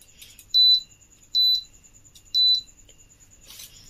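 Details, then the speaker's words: Philips Viva induction cooktop switched on with a vessel placed on it: three sharp high beeps about one a second as it shows E9, caused by a missing or faulty coil sensor. "இப்ப இதுல நம்ம பாத்திரம் வைக்கிறோம் நமக்கு e9 error வருது"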